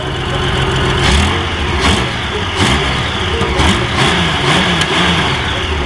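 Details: Honda Goldwing after carburetor work for a gas leak (a sticking float needle valve overflowing the bowl), leak now gone: a steady, full-bodied run with smooth rises in revs and no stumbling or misfire, normal running.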